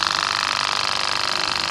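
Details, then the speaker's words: Wagner 435 7.8 hp diaphragm airless paint pump (F230 equivalent), brought in loud and leaking hydraulic oil, after internal hydraulic rebuild: fast even pulsing beat, no knocks or rough spots; pump now running normally. "So I'm pretty happy to say now that this pump is fine."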